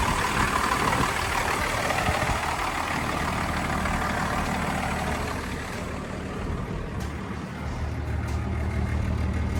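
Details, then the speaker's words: Old dump truck, unit 36, whose oil is low and probably burning: a steady, even low rumble at idle with no knocks or misses. It sounds good. "That one sounds good."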